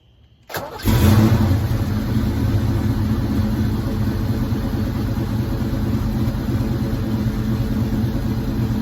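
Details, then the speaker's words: 1986 Ford Mustang SSP after new spark plugs and wires: brief crank, then the engine catches at once and settles into a steady, even idle around 900 rpm with no misses; it now starts and runs better than before. "okay now it's idling a little below one I hope it's fixed will it stay there"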